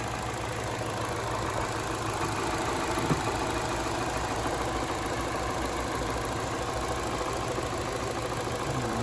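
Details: 2012 Chevy Cruze 1.8L non-turbo idling after a new valve cover replaced the ruptured PCV diaphragm: steady, even idle with only a faint light ticking, no knock or stumble; fuel trims good, normal idle.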